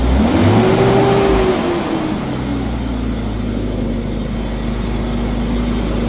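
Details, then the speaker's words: Ford Falcon XR6 after Welch plug and brake work: a quick blip of revs settles into a smooth, even idle with no knocks or misses; engine sounds good, though the water pump sounded unhappy. "At least it sounds good."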